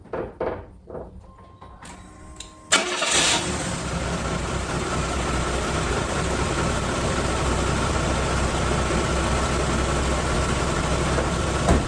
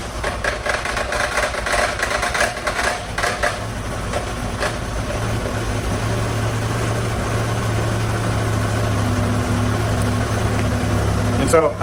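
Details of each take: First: 1997 Chevy S-10 four-cylinder (No. 3 cylinder low compression), cold start after new Gates belt tensioner installed and belt aligned: cranks, catches and settles to an even idle with no clatter; startup clatter fixed. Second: 1997 Chevy S10 four-cylinder with low compression on cylinder 3, cold start; loose rapid clatter for the first few seconds that settles to a plain idle; worn belt tensioner.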